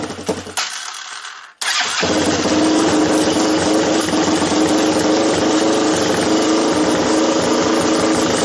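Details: Doodlebug minibike with Lifan LF200 (163FML) Honda-clone single swapped in, re-jetted with leftover Keihin jets, after charging wire hookup: brief start attempt, catches near two seconds, settles to steady even putter, no misses; normal idle.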